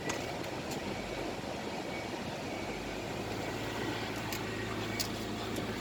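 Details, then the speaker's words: Nissan Elgrand NE51 VQ35DE V6, automatic 4WD, 107,000 mileage, tested in Japan before dismantling: quiet, low, even idle hum, rpm not hunting, no knocks or ticks; engine runs smoothly and healthy. "VQ35DE, автомат 4WD, 107 тысяч пробег. Работает ровно, оборот не плавает, АКПП переключается, все работает."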